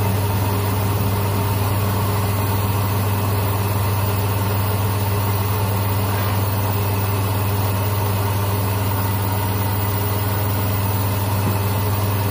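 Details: Hyundai Accent/Avega/Verna after replacing the failed starter motor (bushing and teeth likely damaged) with a Mitsubishi unit: steady, low, even idle hum with no ticking, knocking or hunting over twelve seconds; normal idle.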